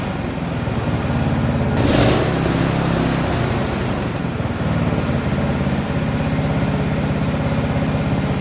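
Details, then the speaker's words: Small single-cylinder electric-start engine being fitted to a wood splitter, idling with no choke: steady even beat with no knocks or misses; sounds healthy, normal idle. "It doesn't sound bad. It doesn't sound like it's junk."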